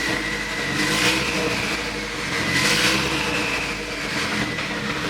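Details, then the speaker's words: Nissan S15 Silvia with freshly built engine, first start after overhaul with new alternator (13.9 V at battery) and power steering fixed, no exhaust fitted: harsh, raspy unmuffled bark rising and falling with throttle blips; tail shaft also spinning. "This thing sounds terrible. It sounds so bad."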